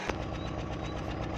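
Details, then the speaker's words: Suzuki Swift 1.3 at idle with a misfire: rough uneven chuff with a stumbling beat; the distributor cap was opened and found wet inside, moisture causing the misfire. "खोल और इसमें पानी की तेज धार थी इसलिए नमी थी जिसकी वजह से गाड़ी यह आ रही है"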